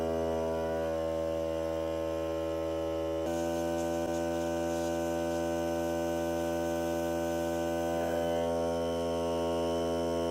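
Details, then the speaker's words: Hart cordless air compressor during break-in run on battery (ran about 40–45 minutes until battery died): even, steady motor hum at constant pitch, no knocks or rattles, quiet enough to talk over; normal compressor running. "So here we go. See how loud it is. Not bad. You can hear me talking."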